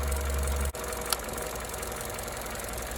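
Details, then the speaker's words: 2014 Opel Corsa D 1.4 petrol at idle with the engine cover removed: a steady idle interrupted by a sharp click and a brief engine shudder, high voltage from the cylinder 4 coil pack arcing to the engine block instead of the plug; the coil pack needs replacing. "Did you see how the engine vibrated when we heard that click? And here it is again. Now that is typically the telltale sign of high voltage from the coil, there it is again, that instead of going to the spark plug is escaping to some other place."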